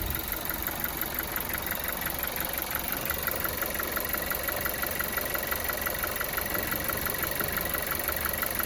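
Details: VW Golf 7 TSI engine: steady idle carrying a crisp, regular tap about three times a second in time with the engine; knocking at idle.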